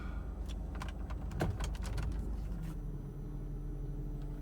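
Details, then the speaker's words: 2002 Kia Sedona cold start at about 49 degrees after replacing the power steering pump, high-pressure hose, belt and idler pulley: quiet, low, even idle in reverse, noisy pump whine gone; old pump worked but was noisy. "noise is gone yep that noise is gone so it was the uh power steering pump even though the power steering worked"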